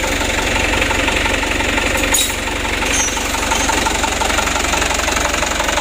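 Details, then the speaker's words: Mitsubishi Canter HD 125 diesel truck (possibly 2025) after Bosch injection pump service, idle set around 600–620 rpm; even, steady clatter at about four beats a second, no misses or stumbles; normal idle. "kalau untuk jarum rpm nya kita usahakan 600 teman-teman 610 20 juga masih bisa ya"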